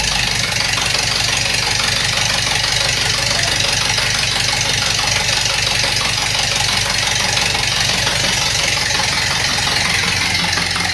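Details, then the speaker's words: Unknown crusty donor four-cylinder in a 1929 Ford Model A doodlebug, first run bare-bones after carb fitted: steady even idle with quick regular beat and some valve clatter, little smoke; running smoothly, normal. "She's a runner. Well, guys, I would declare that a huge success. Doesn't sound too bad."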